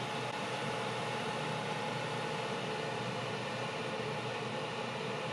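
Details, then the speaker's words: Vanpowers Super Power Pro 1500 portable power station charging at about 1632 watts, 2.2 hours estimated: steady rushing cooling fan noise with a faint constant tone, normal for a high charge rate. "And you can hear the fans going. It's charging at a pretty high rate."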